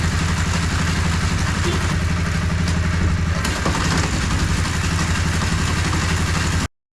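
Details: 2013 Honda CBR250R single-cylinder motorcycle bought cheaply at auction, on a paddock stand after clutch cable free-play adjustment: even, steady idle thump at about four beats a second, no knocks or rattles; healthy idle.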